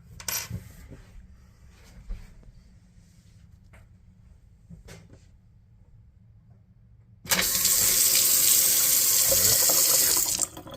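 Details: Delta single-handle faucet turned back on after replacing the RP50587 cartridge to fix a leak when shutting off. Quiet, then a strong steady water hiss for about three seconds that shuts off cleanly; flows and closes normally.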